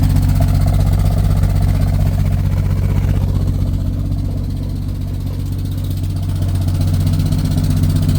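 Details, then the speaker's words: 1972 GMC truck idling loud and rough with a deep, uneven puffing rumble from a big exhaust leak through a cracked pipe, later fixed by welding. "It's got an escape. Got a a leak somewhere in here."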